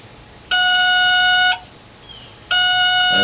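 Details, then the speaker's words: Yamaha outboard boat being recommissioned after sitting for years: two clear one-second tones about a second apart, the water-in-fuel sensor alarm, with its gauge pegged at the top; the owner plans to replace the sensor. "you're gonna hear a beeping when I turn this on and that's the uh fuel water sensor it's pegged out at the top when it goes to the top it detects water"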